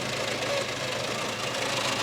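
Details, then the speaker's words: 1994 Skoda Favorit, 1.3 chain-driven engine, 68 hp, very used survivor, microphone left near the engine: very agricultural starter sound, then a steady, even idle with a light mechanical tick and no stumbling. Normal idle. "it's a very agricultural starter sound but other than that the engine itself is sounding pretty nicely I think no leaks or anything"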